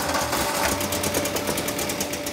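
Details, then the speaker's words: Mk2 VW Golf GTI barn find, parked 20 years, with swapped-in replacement original 8-valve engine, first start: uneven stumbling chatter, missed beats and rough shake; misfiring, not running on all four, possibly on two or three; timing suspected. "okay so he's not running on four but she's running it ride bad it's alive for the first time in 20 years"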